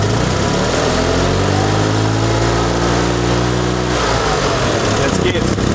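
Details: 1974 Fiat 500 small two-cylinder engine, ignition timing checked and correct: revs rise and fall with a slightly ragged, uneven beat; rough running while revving, cause not yet found.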